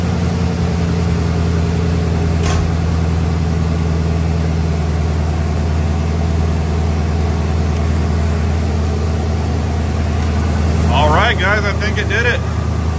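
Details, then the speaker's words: 1993 Ford F150 that previously idled poorly, after reading and repairing the check engine light fault: a smooth, even low idle that holds steady with no stumble or surging and no engine light; normal idle. "okay remember right uh before it didn't idle very well that looks good no engine light"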